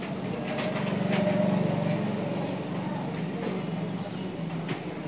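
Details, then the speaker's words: Hero Splendor iSmart, cold, with new CDI fitted after it cut out when hot with no current: single idling at a steady even beat, no misfire; current arriving properly, runs normally. "Bike फर्स class start है current proper आ रहा है"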